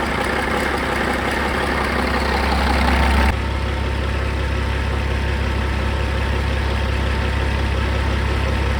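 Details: Caterpillar 3406E haul-truck diesel, rebuilt and re-engineered for a different application, first shop-floor test run after fuel priming with zero active codes: deep, steady idle with an even low rumble and clatter, no misses or knocks; sounds healthy.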